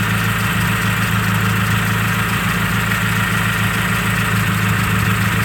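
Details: 1995 Nissan D21 Hardbody, first start after winter storage, heard through a screwdriver held on injector one: steady idle with a light, fast tick about three a second, louder than the other injectors; owner suspects injector one, not confirmed.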